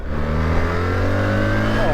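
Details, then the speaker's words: New BMW R1300GSA with the stock exhaust, heard while riding: a deep boxer note whose pitch falls smoothly as the throttle closes, with a light burble on overrun; normal exhaust overrun. "the stock exhaust actually sounds good as well it's got quite a nice little overrun on"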